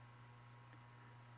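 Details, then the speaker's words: Emerson Bullet fan, model 77646 SL, rewired, gearbox off, only rotor and stator running on low at about 116 V, not yet lubricated: quiet, steady low hum with a faint even whir, no knocks or rubbing; motor runs smooth. "it's running smooth of course the gearbox is off of course this is just the rotor and the stator"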